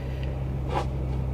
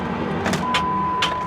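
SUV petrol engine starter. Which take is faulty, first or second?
second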